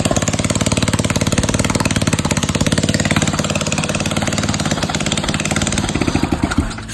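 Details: MB200 minibike: small single-cylinder engine running with a fast, even pulse of about three and a half beats per second, then settling; sounds healthy.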